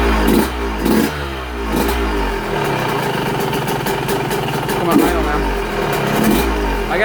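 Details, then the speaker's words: Cold Yamaha YZ125 two-stroke on 25:1 premix, idle set very low; blips then drops to a slow, barely running putter threatening to stall, holding only when throttle is set down gently; normal for this low setting. "set it where just barely idle but you got to set it down gently there we go"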